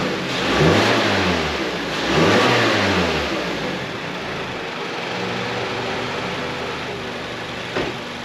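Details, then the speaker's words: 2016 Mazda CX-5 Skyactiv rebuilt engine (Mazda 6 bottom end ~120k, CX-5 top end ~170k), after swapping the oil control valve and exhaust cam sensor: two clean smooth throttle blips, then steady even idle, no knock or tick; healthy. "It runs. It runs amazingly. So, let's uh let's fire it up."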